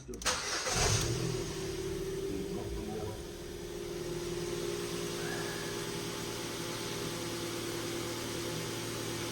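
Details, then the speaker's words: Ford Fiesta with a cylinder 4 misfire code and a reported judder while driving: right after startup, a steady mid-pitched whir sits over an uneven idle and does not follow engine speed. First thought to be an air leak, now suspected alternator bearing. "sounds like an air leak to me no it's not an air leak tell you what it is it's a bearing"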